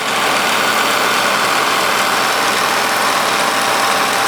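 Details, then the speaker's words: 1946 Victor 40B projector after oiling and freeing the gummed-up mechanism, case open: steady, even mechanical whirr with fine rapid chatter and no knocks or surges. Gear noise is expected and muffled when the case is closed; runs smoothly. "It's um a lot of gears and moving parts, so it's not going to be silent, that's for sure. But it's in a case, and when you close the case, you don't hear the mechanism that much."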